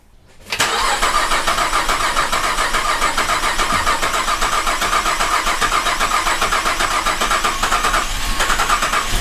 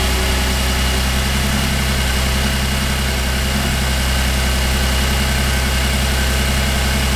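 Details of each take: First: 2008 Cadillac CTS GM 3.6L direct-injection V6, first start after timing chain replacement: catches quickly, then idles with an uneven popping "popcorn" beat; a vacuum line left off during reassembly caused rough running from an unmetered vacuum leak. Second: 2008 Cadillac CTS, GM 3.6L direct-injection V6, after timing chain replacement and reconnecting a loose vacuum line: even, steady idle with a smooth low hum and no popping or misses, a normal idle.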